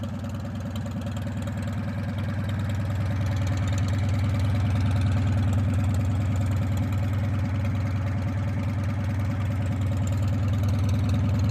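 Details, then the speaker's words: Modified Farmall M International four-cylinder tractor warming up after a recent start. Even, steady low thrum at about three beats a second with no knocks or misses: idling smoothly, "like a typewriter." "When you get these international 4-cylinders warmed up, boy, they sure do the trick. I mean, as I said in one of my previous videos, these things they run like a typewriter."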